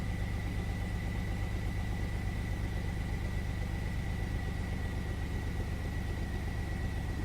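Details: 1999 Chevy S10 4.3 V6 around 1900–2000 rpm: low, lumpy, loping beat about twice a second as cylinders 4 and 6 get no fuel and drop out; spark is good, fuel spider swapped for a used one of uncertain history; misfire.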